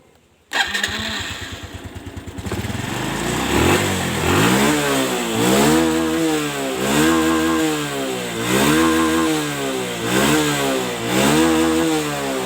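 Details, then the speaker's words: Honda Revo injection motorcycle after neglected service, new air filter and spark plug work; starter whirs, engine settles into steady single-cylinder idle with slight swells, idle good and safe; normal idle. "disini sepeda motor ini langsamnya masih bagus suara mesin aman-aman saja Ndak ada kendala"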